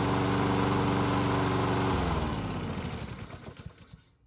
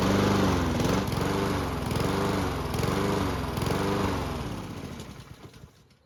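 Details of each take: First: Lawn mower engine being worked on for surging: even, steady engine beat at constant speed with no hunting, then shut off and coasting down to silence. Normal steady running. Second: Lawn mower engine surging: revs rise and fall in steady waves about once a second, hunting governor speed, then the engine dies away.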